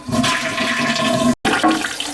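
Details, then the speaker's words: High-usage toilet that kept running, after repair with the water level set lower. A strong rush of water drains, then a smooth steady refill with no spitting or sputter and no leak into the bowl: normal flush and refill. "she shutting off she's not leaking she's good right there she gets a good flush I don't see it leaking in the bowl"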